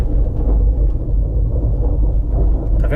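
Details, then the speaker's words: 2013 Nissan Livina 1.6 16-valve K4M driven over small road bumps: low rumbling knock from underneath that disappears when braking, traced to loose front brake calipers on worn slide pins. "já sei que não é ele agora eu sei que o barulho vem do nosso pinças né"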